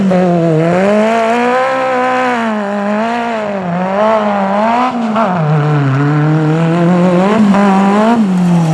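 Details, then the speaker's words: Magnum super buggy V8 at Joe's Speedway, last session after hours of float and jet changes to the new carb: loud pulling with a wavering, surging note that won't hold steady; carb flutter, still unresolved. "we've been here for several hours now just making numerous carb adjustments and we still just can't get that little flutter out"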